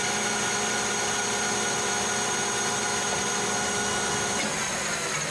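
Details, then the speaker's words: Lathe facing hardened and tempered 4140 chrome-moly steel at high spindle speed, 0.025 depth of cut; smooth hiss over even spindle hum, no chatter, turnings instead of chips, finish better than annealed; normal cutting. "sounded like it was cutting better we were getting turning rather than chips yeah the Finish is definitely better here"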